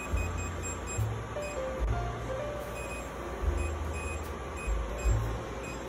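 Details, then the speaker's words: Creality CR-10 Smart 3D printer touchscreen registering phantom touches, worse after new firmware: short high beeps at uneven intervals over music; random inputs caused hotbed temperature fluctuations; replacement monitor sent. "ou see that it's just clicking on its own they call it the ghost in the machine right"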